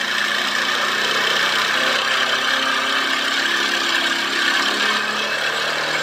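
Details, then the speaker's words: Motorbike with a morning starting problem, now starting on the self-start alone where it previously needed throttle and stalled; steady, slightly raised idle after the idle RPM screw is turned up, even note, no stumbling; normal idle. "हमने सिर्फ self की button को दबाया और bike अभी बिल्कुल start है"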